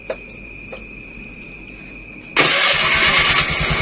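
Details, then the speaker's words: Honda Beat carburetor scooter, normal before kill switch install: steady insect-like whine, then the engine catches at about two and a half seconds and runs a quick, even, smooth idle. Normal start and idle. "kita bisa dengar untuk suaranya pun masih halus"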